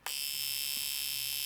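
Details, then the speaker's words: Fuel injector pulsed by a handheld injector tester hooked to a battery; fast, even high buzz for about 1.5 seconds, then stops cleanly. Normal injector operation. "So, you can hear that. You can hear that fuel injector. That's what it's supposed to do."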